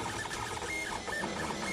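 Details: 3D printer printing a test ring at 0.3 mm layer height after bed alignment corrections and head height adjustment: smooth even stepper whine with soft chirping moves, no clicks, skips or rattles; running normally.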